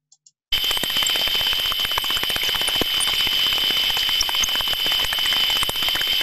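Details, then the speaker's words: Reduction gearbox heard on its body through ultrasound: sharp repetitive impacting about four per second over steady hiss instead of smooth uniform sound; suspected damaged mesh or tooth, possible early-stage fault, not confirmed. "Claire repetitive impacting sounds this means that something inside that gearbox is not working as it should be"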